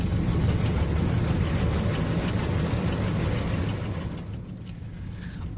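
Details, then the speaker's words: United Airlines San Francisco–Honolulu airliner in flight after cowling separated from the right engine following a loud bang: heavy deep roar with rough, uneven rattle about three beats per second as the loose covering shakes the airframe. "a piece of the cover had come off the planes right engine those on boards say they heard a loud bang and then the plane began to shake you can actually hear the rattling"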